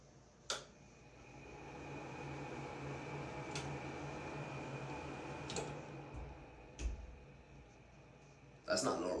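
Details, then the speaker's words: 110 CFM exhaust fan motor, already cleaned: steady low hum with rough, uneven whir and thin high whine; abnormal motor noise, owner suspects bearings. "I'm pretty sure there's a problem with the fan I mean I did clean it but the motor the motor just sounds like crap it's a 110 CFM exhaust fan let me know if this is normal"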